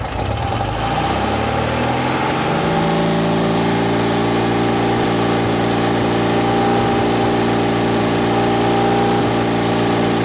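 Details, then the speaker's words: Porsche 356C air-cooled engine at high revs while checking timing at about 36–37 degrees total, 5 degrees static: revs climb smoothly then hold a steady even drone, no misses or knocks; running well. "I think we're good the engine sounds like it's running really well and seems happy enough"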